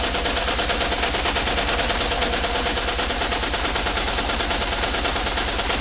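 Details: VW Type 4 air-cooled 2-litre engine running with a hard, sharp, rhythmic knock at about three per second, like gunfire; engine knock sent for remote diagnosis.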